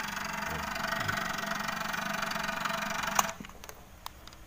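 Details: Chinese ICSITECH CRT TV that won't turn on: loud buzzing growl with rough, pulsing texture from inside, a failing flyback transformer.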